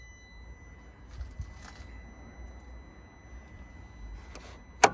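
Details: Leased 2021/2022 Renault Trafic Business Plus van, 2-litre engine, about 800 miles old: a faint, steady high hum at one pitch, also audible under the bonnet. The source is unknown; the owner guesses the fuel pump.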